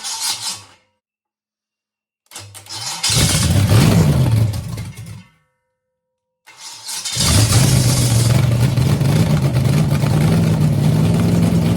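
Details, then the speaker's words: First start of a 6-inch rodded 350 Chevy V8 from an HQ Holden Kingswood project, after engine timing issues; cranks, catches, revs roughly, dies and restarts; won't idle; owner says it needs a fuel system and tuning. "So I'll probably run it for about 30 seconds maybe, because it just keeps dying out, just doesn't want to idle, doesn't want to, so I really need to sort of go through what's there, get rid of all the jankiness off it."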